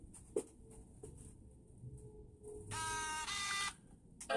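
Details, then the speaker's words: 15-inch unibody MacBook Pro (logic board 661-6079) with suspected heat-related gray screen and red lines, during GPU reflow repair: after a few clicks one clear, sustained startup chime rings about a second, unchanged; audio fine. "We get it to turn on. Chime's still the same."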